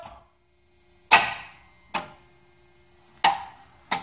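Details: Cold 1987 Chevy K10 pickup with throttle body injection, a former shop truck: four sharp, dry clicks about a second apart with no cranking; the starter clicks but the engine won't turn, with the alternator's charging in doubt.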